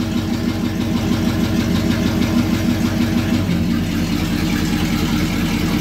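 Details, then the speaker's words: Truck engine idling with a steady, rapid deep knock of about three per second that eases partway through. It does not occur in reverse or drive, and the torque converter bolts were checked tight. The owner suspects a snapped rod and expects an engine rebuild. "oh yeah it's not doing it in gear right here hmm yeah so in reverse and drive it's not doing it"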